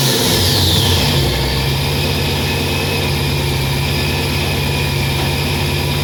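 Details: Supercharged 1999 Dodge Dakota RT with an Eaton M122 from an 08 GT500 on a modified intake, self-tuned: cold idle after reinstalling the power steering pulley and modified tensioner. Fast idle settles to a steady, even V8 beat with faint blower whine, sounding healthy.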